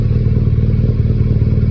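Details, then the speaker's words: BMW R nineT boxer after repair of a connecting rod problem caused by oil level not checked for nearly 5000 km. New spark plug, coils and tank refitted; second start, with a PC connected for synchronisation. Deep, even idle burble with no tapping; slight exhaust smoke is normal. Healthy. "un petit peu de fumée mais ça c'est l'échappement c'est normal voilà plus de bruit et un moteur qui ronronne on va aller l'essayer"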